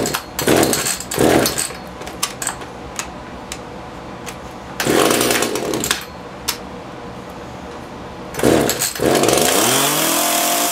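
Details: Echo CS-330T top-handle chainsaw, unused for years, hard to start and leaking oil: revs come in short rough bursts that sag and won't hold at full throttle, starving lean at high speed; suspected carb needing a kit and a hardened fuel pump diaphragm.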